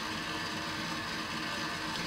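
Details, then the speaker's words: LED mushroom DMX light, rotation motor keeps spinning even with no sound, turned off or DMX values at zero: steady even whirring motor with fan hiss that never stops; cause not yet confirmed. "so you hear the motor turning oh there we go there's a light and as I'm talking it picks up my voice and activates but the motor continues turning even if it's"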